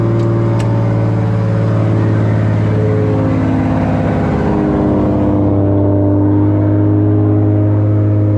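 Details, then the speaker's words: Toyota Supra after a new fuel system (triple pump hanger, relays) and Tomei titanium exhaust, fuel pressure near 40 psi: steady, smooth idle with no misses or ticking. Normal idle. "so all right guys had the car idling so far so good no"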